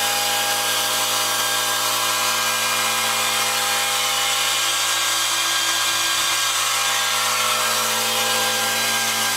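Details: Outdoor A/C condenser unit making a harsh, steady grinding screech before randomly shutting off and not cooling while the indoor fan keeps blowing warm air; cause unknown.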